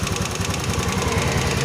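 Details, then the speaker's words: Honda Beat FI scooter whose engine seized after running dry of oil, hot after about 10 minutes of idling: a rough, rattly knock on every firing pulse, with smoke still coming out. The piston and piston rings are worn. "Well, for the others, it has an impact on the sound of the engine, making it rough too, so that"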